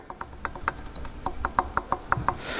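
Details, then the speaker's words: Turbo on an Astra VXR with a very aggressive remap, shaft spun by hand: it gives sharp, uneven rattling ticks from a lot of shaft play. Finding: excessive turbo shaft play. "so if we spin this around right here and go from this side if you look here there's a lot of play and you can also hear it"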